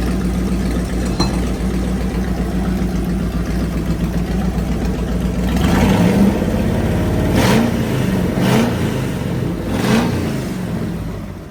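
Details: Fully rebuilt Dodge Magnum 318 with 360 camshaft, roller lifters, timing set and valve job, carburetor vacuum leak fixed and timing adjusted, during heat cycles: steady smooth idle and clean throttle blips; healthy.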